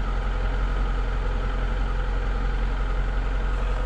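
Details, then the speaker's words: 2021 Lada Niva Travel, 24,900 km, cold start on a frosty morning; engine catches easily and settles into a deep, even idle with a steady low drone and no knocks or taps; normal cold-start idle. "ну все вообще отлично слышите мотор работает"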